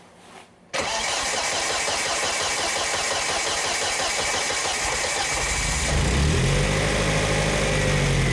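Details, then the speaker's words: Volvo S40 with Holset HX40 turbo, newly fitted Speeduino standalone ECU: first start after setting -90 trigger offset and confirming timing with a strobe; engine catches within a second and settles into a steady, even idle; mixture judged too lean. "it runs yeah we just got to keep it running did it go"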